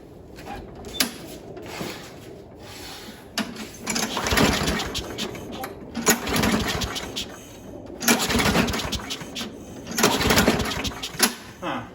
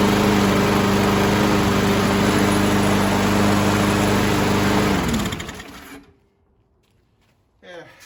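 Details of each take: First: Craftsman mower with B&S 6.75 primer-style Quantum engine and new HIPA carburetor on a cold day, about 30°F: repeated pull-start bursts fail to catch. The carb isn't priming because the back plate was loose with a gap; tightening the bolts fixed priming. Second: Craftsman 917.37651 mower, B&S 6.75 Quantum engine with new HIPA carburetor, cold day, after tightening the back-plate bolts so it primes: runs smooth and even at steady speed, then shuts off cleanly; healthy.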